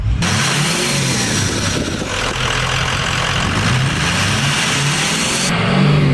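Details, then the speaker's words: 6.0L Powerstroke diesel after a new intercooler pipe was installed to fix a boost leak: a deep rumble pulls cleanly under throttle with no hiss or whoosh of escaping air. There is no boost leak anymore. "There's no boost leak at all anymore."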